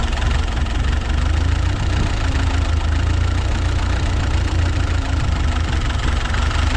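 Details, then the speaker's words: Ford 8N tractor after carburettor work, warming up with good oil pressure: a steady low idle with a faint uneven stumble now and then, a misfire at idle that the owner suspects comes from an intake leak; it seems fine when revved. "probably getting that Miss from that leak on the intake seems pretty good while I rev it up"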